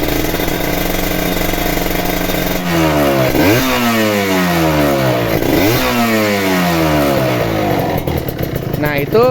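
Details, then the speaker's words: Ninja two-stroke RR, revved from idle: crisp revs rising and falling with a faint, light, repeated ticking from the power valve kit, not the piston (a worn piston would rasp on deceleration); the engine is still considered worth buying. "Nah itu ada bunyi ke letak letak letak letak-letak gitu itu dari valve kitz ya bukan dari piston"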